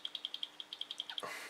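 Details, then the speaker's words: Aging Nvidia Quadro 4000 GPU fan, removed from the card: sharp high-pitched ticks about ten a second over a faint hum, worn-out grease in the fan bearing making it vibrate. "once the grease inside the fan starts to get worn out the fan is going to start to vibrate a little bit and it's going to make this really slight noise just like this"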